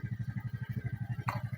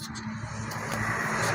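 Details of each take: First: Suzuki Smash motorcycle small single-cylinder idling on an original regulator/rectifier: steady even beat about ten pulses a second, no misses; idles cleanly, whereas non-original regulators leave it unwilling to rev. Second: Suzuki Satria motorcycle fitted with a non-original aftermarket regulator/rectifier (kiprok): engine swells briefly on throttle, then sags back to a rough idle instead of climbing and will not rev.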